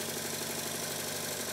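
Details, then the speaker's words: Stuart triple expansion model steam engine on about 40 psi air, fed to the high-pressure cylinder, after modifying the low-pressure cylinder's eccentric sheave and a final valve-gear adjustment: quick, evenly spaced exhaust beats, the same power and sound in both directions; running even. "the engine runs exactly the same way in both directions with exactly the same amount of power according to my finger on the flywheel and when i reverse the valve gear as you can see it sounds the same"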